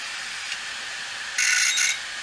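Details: Large dead hard drive, opened, in a caddy: sharp high-pitched scraping hiss in bursts over the spin, a head crash with the head dragging across the platter.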